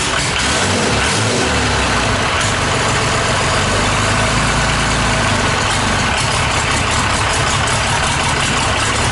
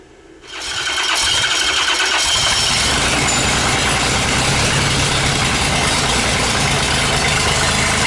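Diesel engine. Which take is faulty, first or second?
second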